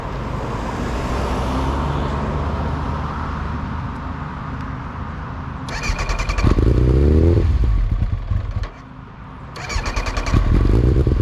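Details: 1999 ZX9 motorcycle engine runs unevenly, revs in bursts, then sags and nearly stops; keeps stalling, owner suspects bad fuel pump/fuel starvation.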